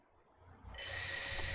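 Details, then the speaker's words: FPV quad after RPM-filtering setup in ESC configurator, motors set reversed, DShot: quiet, then motors spin up into a clean, steady high whine with no rattles or grinding; all motors working normally. "oh yeah they're all doing what they're supposed to"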